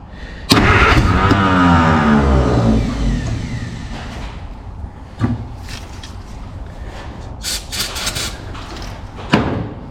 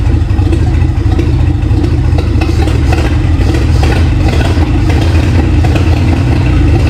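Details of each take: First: Free 1951 Plymouth (described as 1952 Cambridge) with formerly locked-up engine, only a 12-volt coil hooked up, generator belt off, vinegar and PB Blaster in cylinders: starter whirs, engine catches with rough rising sputter and weak pops but won't keep running; firing order doubted, more juice suspected. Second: Free 1951 Plymouth, formerly locked-up engine, after replacing Champion plugs with Autolites: straight engine running steadily with low even beat and some mechanical chatter, about 40 psi oil pressure; running properly now.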